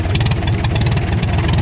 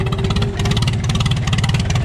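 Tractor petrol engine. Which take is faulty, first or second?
second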